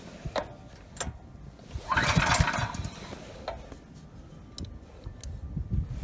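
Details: Ryobi RY905500 5500 W generator, new recoil rope, choke on: scattered recoil pulls spin the engine briefly without catching; it runs on starting fluid, so it isn't getting fuel, main jet probably clogged.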